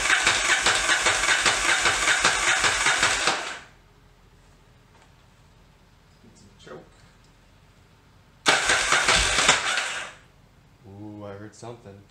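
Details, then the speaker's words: 1981 Yamaha XV920 motorcycle, first start attempt after new starter, ground cable and starter cable installed, fuel poured down carb bowls: catches raggedly, doesn't like throttle, won't hold idle; owner wonders if exhaust leak; blows smoke from tailpipe. "doesn't like throttle is that an exhaust leak"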